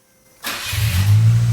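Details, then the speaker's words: Nissan March Superturbo (twin-charged), after fitting new JDM parts, on jack stands: engine catches and revs into a deep, smooth, throaty, guttural drone, even note, no rattles; much better than before; healthy exhaust. "Oh, it's got a note. So much better. Sounds mad. It's deep. It's deep. It's guttural. Yep. It's throaty."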